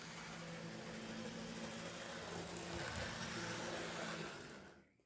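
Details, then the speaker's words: Cheap secondhand AHM/IHC HO-scale locomotive tested on a vintage Atlas layout: soft, even motor whir with steady pitch and no catching or stutter, then fading away. Runs pretty smooth. "oh yeah it actually runs pretty smooth go ahead and bring it around"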